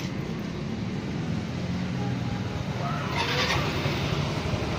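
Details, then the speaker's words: Yamaha Mio i 125 scooter, 2,641 on the odometer, previously noisy engine, after replacing piston, connecting rod and crankshaft: steady low idle hum, now smooth with no knocking or rattling from the bottom end. "Yey smooth wala naung ingay na punog ano lato lato"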